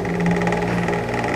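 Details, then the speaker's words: Asahi electric fan, noisy after a prior repair, on steady (non-oscillating) setting at speeds one to three: motor hum with fast even tapping that vanishes when swinging; simple fault but location not yet found. "number three maingay i-push natin ito para mag-swing okay nawawala pagka ganyan ang sira mga karal simpleng Sira po yan Pero mahirap ma-address kung nasaan ang error nian"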